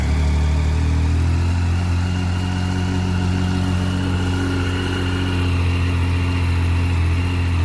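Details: 2012 Triumph Street Triple 675 R after front fork seal and oil replacement, reassembled: steady, even low rumble at idle with no knocks, misses or rattles; engine settles and runs smoothly.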